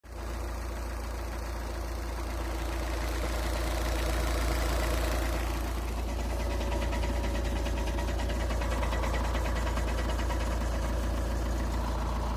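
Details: Skoda A5 2.0 TDI 125 kW, cold idle: steady fairly regular tapping about three to four times a second over diesel clatter, source unclear; cold idle knock.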